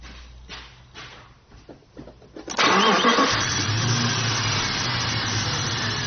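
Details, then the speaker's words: Jeep with Dodge/Jeep 4.7 V8, misfire worsening with poorer fuel mileage, cylinder 1 dead: short crank then somewhat uneven idle after swapping the coil; misfire at idle, owner suspects deeper than coil, possibly fuel injector. "nope sounds a little deeper than a coil"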